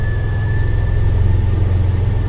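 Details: Toyota FJ Cruiser after an electrical repair for no dash power and no start: a low, even idle rumble with a faint constant whine above it. The engine is running fine.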